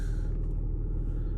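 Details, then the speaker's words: Opel Vectra B, Y16XE engine, brought in running in limp mode and revving poorly, after clearing inactive fault codes: steady even engine rumble with no knocks, misses or surging; accelerator and throttle work, no active errors. "Все працює. Все працює. І акселератор теж працює. І дроссель теж працює."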